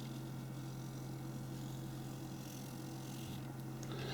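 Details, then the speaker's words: B&O loudspeaker bass unit playing a low test tone after the voice coil was recentred by bending it slightly out of line; the rasping voice-coil rub from a misaligned replacement surround is gone, leaving a steady clean hum. "you can hear that buzzing wind away Iger clear it's still working but the buzz has gone so just run round again just to see if it's fairly uniform"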